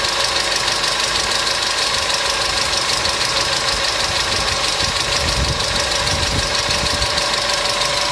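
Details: Customer's engine at idle with noisy hydraulic lifters, started after an additive was poured in; fast light ticking about three per second over steady idle, hydraulic lifter tick.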